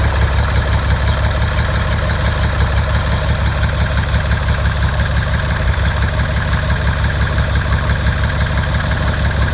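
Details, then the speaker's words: 1957 Cessna 182 first start, modified O-520 P-Ponk engine (~475 hours) with MT prop: deep loud rough throbbing, slightly uneven beat about three pulses a second; one cylinder intermittently not firing. "Even with that one cylinder not firing 100% of the time, it was still sounding pretty audacious."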